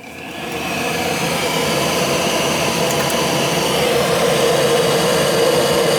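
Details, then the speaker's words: Gas boiler, no heat: the vacuum switch tests good, but the hot surface igniter gets no voltage. Inducer spins up into a steady rising whoosh with no burner light-off. Failed control board. "it would go through the vacuum cycle through the and I had power coming in but nothing was going through our surface igniter"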